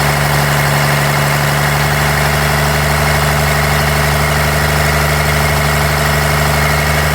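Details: 1993 Dodge D250, 12-valve Cummins diesel: loud rough idle with uneven lumpy beat, a cylinder missing; injectors, lift pump, shutoff solenoid replaced, valves adjusted, compression 400 psi on all six; owner suspects injection pump, unconfirmed.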